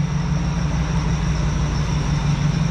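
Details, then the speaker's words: Truck (Lightning) engine idling with a thin squeak above it from a dry idler pulley bearing that is failing; the bearings can be heard. WD-40 later quiets it only partly, and the fix is repacking the bearing with grease. "i'm sure most all of you can hear that squeak right that squeak is a dry bearing a bearing trying to go out it doesn't sound good you can actually hear the bearings in there"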